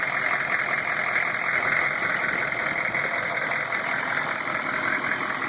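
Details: Newly installed rebuilt GM 6.5 diesel long block; uneven ticking knock, two or three per second, over steady idle, heard from below with the inspection cover off; easily heard in cab while driving, hard to pinpoint outside; rear rockers get poor oil flow; flexplate and converter bolts fine.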